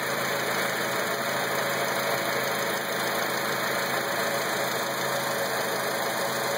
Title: Acura TSX weird engine noise